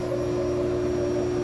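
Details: Lochinvar gas boiler firing normally with a steady, even roar and constant mid hum, no whistle, after removing improperly installed dampers that had restricted the air intake and caused a loud whistling.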